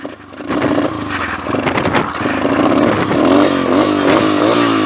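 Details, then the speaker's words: A pit bike won't start after tipping on its side, so it is roll-started downhill in second gear. It coughs and catches, with revs climbing unevenly in pulses. The rider suspects a carb flooded with too much fuel, and it then runs well. "Yeah, I know, it probably just got way too much fuel sitting in the Carby. Too much fuel sitting in the Carby, I think. Just choked it all up."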